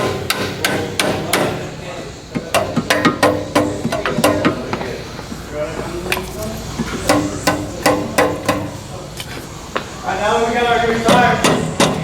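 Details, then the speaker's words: 2003 Jeep Liberty inspection, catalytic converter struck with a rubber mallet: each strike is followed by a loose metallic rattle inside; internal rattle, the converter is bad and needs replacing. "one's really bad you can hear it already"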